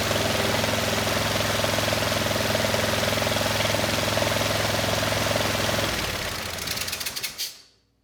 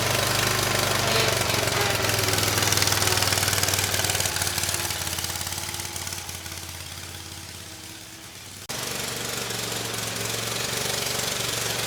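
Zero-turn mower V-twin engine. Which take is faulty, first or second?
second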